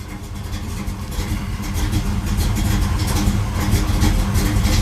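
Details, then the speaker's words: 1973 Camaro Z28 V8, still cold: very low, lumpy idle, deep uneven thrum close to stalling; it won't idle properly yet. "oh yeah still doesn't want to idle still cold moved a little bit got a really low Isle"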